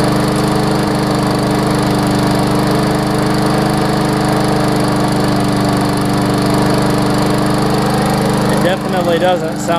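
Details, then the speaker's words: Briggs & Stratton Classic push mower engine, spark plug found not fully seated and plug leads slightly corroded: even, steady drone with no labouring or surging; normal running. "plug leads a little corroded too it seems to be running fine otherwise"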